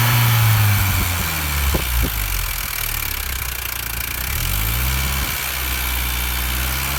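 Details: R53 Mini Cooper S petrol engine idling: light, uneven tapping rattle over its low, steady hum.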